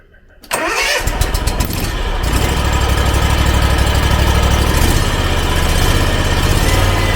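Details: Hustler Fast Track mower, Kawasaki FR691 V-twin, after valve lash adjustment for hard hot restart: brief cranking, then catches at once and settles into a steady even idle, no knocks or misses; normal start.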